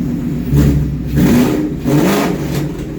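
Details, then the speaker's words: Ford Mach 1 with Coyote V8 (listed as 2004) at its first start after fuel pressure set to about 56: three quick throttle blips, each rising cleanly and falling back to idle, no knocks; healthy free revving. "well that was a success I'm uh super happy that everything actually starts and runs now"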